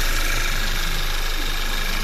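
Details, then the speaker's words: Audi A4 2.0 TSI after injector cleaning and walnut-blasting intake valves, previously shaking, stalling in gear with check engine light: now starts with no errors, smooth, even, steady idle with no misses or shake; repaired, normal idle. "стійко не трусить його працює Дуже гарно"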